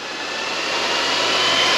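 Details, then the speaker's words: 2018 Harley-Davidson Street Glide with built S&S 124" engine, newly installed Ultra Cool oil cooler fans tested with the supplied jumper, ignition on: small electric fans rise smoothly to speed and hold even, no rattle or rubbing; the fans work properly. "But yeah, so we are working. Y'all can hear the fans running."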